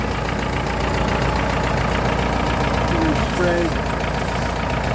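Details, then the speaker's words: Free S10 pickup after fixing a vacuum leak: steady idle with no rpm change, but a loose, uneven clatter rides over the engine note; engine called a little loud, worn valvetrain suspected. "this engine's a little loud so i think we're good"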